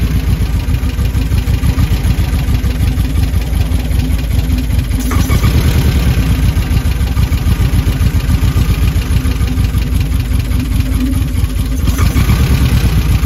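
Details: Fairly new engine with dual Spanish Weber 40 mm IDF carburetors, valves and timing already set, idle brought to about seven: a deep, steady, even idle that firms up as the mixture screws are adjusted into a clean, healthy idle.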